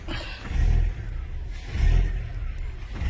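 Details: 2007 Volkswagen Jetta started at idle, revs swelling and sagging about every second and a half, a steady hunting, surging idle; cause not yet found, scan tool suggested for diagnosis.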